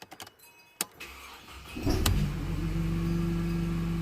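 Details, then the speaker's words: Mercedes W203 C-Class in for a gearbox stuck in limp mode: first start after repair, run to refill drained mechatronics before the oil-level check. A brief crank, then it catches and settles into a steady, even idle with no misses. "Okay, running okay. Sweet. Let it idle."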